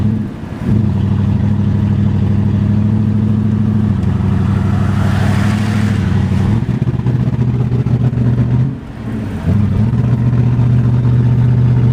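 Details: 1981 Mercedes 380SL V8, K-Jetronic, after fuel pump, fuel control relay and fuel lines replaced: on test drive the engine pulls unevenly, stumbling and sputtering under load with lack of power; misfire, cause not yet found.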